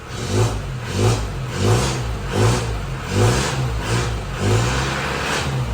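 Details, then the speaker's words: 2002 Isuzu Panther LS diesel with 112,000 km, engine heard from outside the car: a deep diesel thrum swelling smoothly in blips about once a second, with no knock or rattle. The seller calls it very smooth. "masih pulen banget ya bosku nah ini suara di luar kayak gitu"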